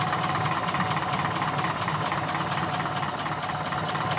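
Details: Porsche 914 after valve adjustment: soft idle with a deep, uneven knock about twice a second under the hiss; rod knock.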